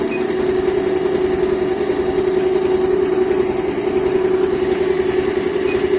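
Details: Yehi embroidery machine running after repair and reassembly; it had constantly shown error E24 and would not stitch when start was pressed, now fixed. Steady hum with fast regular needle patter, about three strokes a second, no knocks; healthy.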